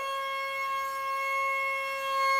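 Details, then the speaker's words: Eachine Mini F-16 RTF electric jet, armed on the ground: a clean high-pitched motor whine at full throttle, dropping smoothly as power comes off. Normal full-throttle run. "Whoa, do you see the, okay, so let's see how much, whoa, that's a pretty good amount of power."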